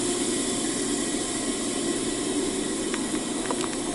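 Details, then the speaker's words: Freight train air brakes releasing after backing up, before rolling off: a steady, even rush of escaping air with no pulsing or rattle and no slack banging; normal air brake release. "Oh, I can hear the brakes releasing. I don't know if you can hear the air going"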